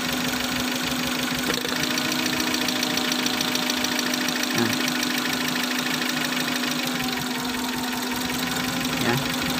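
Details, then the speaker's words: Suzuki Futura injection, shaking and lacking power, plugs and coils already swapped: uneven, lumpy hunting idle with irregular stumble; unplugging injector number 2 changes nothing, so cylinder two is dead, injector to be cleaned. "hai penyakitnya baru ketemu satu ya ini di bagian injektor nomor 2 tidak berpengaruh sama sekali eh ini mesin hunting ya"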